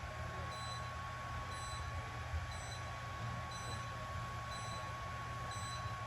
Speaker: and then you'll hear the beeping the entire time that the treat is occurring uh the multiple beats close together is it changing the parameters on how strong the laser is what the focus is on